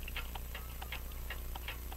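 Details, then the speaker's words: French crystal regulator clock with an open escapement, sold as non-running, possibly made by Vincente, recorded with a dumpster-found microphone: a quiet, crisp tick-tock at about four to five ticks per second with fairly even spacing. It sounds in beat. "I think you can get that sounds like it's in beat"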